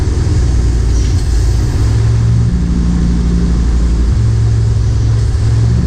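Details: M37 Dodge truck after a carburetor refresh with a new accelerator pump: steady low engine rumble with a couple of clean rev blips and no stumble off idle; the accelerator pump works and there are no fuel leaks.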